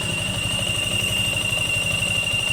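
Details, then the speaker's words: Yamaha Sniper 155 FI at idle, warming until the radiator fan runs. A steady high whistle rides over the even idle: water pump whine, continuing after the fan starts. The water pump is to be disassembled; an earlier oxygen sensor error was cleared. "So napansin nato no kapanaggo ang iahang ah water pump."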